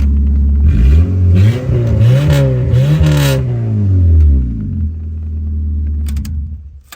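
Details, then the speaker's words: Engine of a 2001 Honda Civic, fitted with cheap replacement coils during a swap into a 1962 Rambler American body, idles steadily and revs up smoothly a few times, then settles back to an even idle; sounds normal. "so sounds pretty good to me"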